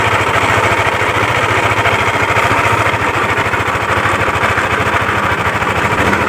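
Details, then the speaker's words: Yamaha Aerox scooter at idle, reassembled while awaiting parts; complaint of loud noise near the CVT case/primary pulley. Rough idle with a dull, uneven knock about three times a second deep in the engine. Cam chain, tensioner, cam bearing and rocker arm were ruled out. The knock comes from worn connecting rod and crankshaft bearings. "Nanti setelah dipasang bisa teman-teman dengarkan kronologi suaranya seperti apa, biar teman-teman jadi tolak ukur bahwa suara seperti ini itu berpusat dari setang piston dan bearing kruk as."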